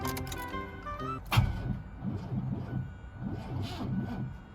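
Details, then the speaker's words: Abandoned hearse on its first start attempt after a new radiator was fitted. Slow, heavy, dragging cranking that does not catch, under music; the starter is suspected, and smoke appeared afterward. "that just sounds like it's suffering so badly yeah that's not brilliant is it it's probably a starter huh"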